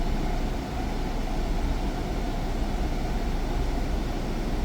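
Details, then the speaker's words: Jeep Cherokee air conditioning after recharging to the exact 567 g of refrigerant (it only had about 200 g); steady low rumble with no squeal, rattle or clatter, normal. Noise was due to low refrigerant. "creo que va a ser eso porque ahorita ya no se ha escuchado nada"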